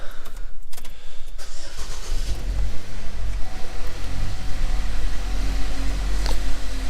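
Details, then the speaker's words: 2013 Chevrolet Equinox after repair, with the broken EVAP hose temporarily plugged and fresh coolant and oil: cranks, fires promptly and settles into an even, steady idle with a clean low hum and no knocks or misses. Normal start and idle. "she uh she runs pretty darn good so there you [Music] go"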